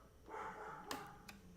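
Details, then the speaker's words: Ender 3 3D printer with new SKR Mini E3 board running Marlin 2.0; on power-up the CR Touch probe gives two crisp clicks about half a second apart over a faint hum, deploying and retracting normally in its self-test. "all right so everything the cr touch did its routine there is marlin 2.0 on here"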